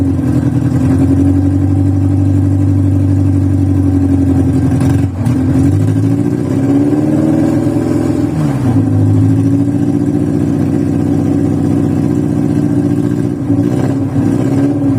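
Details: VW Voyage cold start after sitting many days, worn old mechanical parts: petrol engine idles roughly, hum wavering, with a brief rev rising and falling back.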